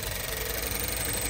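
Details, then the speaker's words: Renault Clio 4 at 70,000 km with an engine misfire. Ignition is present on cylinders 1 and 4, so the coils are working, yet the idle is uneven and stumbling with a harsh, lumpy beat: still misfiring and running rough. "मैं ध्वनि सुन सकता हूं, पहले से ही प्रज्वलन है, इसलिए कॉइल काम कर रहे हैं, लेकिन दुर्भाग्य से, वाहन में तीव्र शोर है। एक मिसफायर अब"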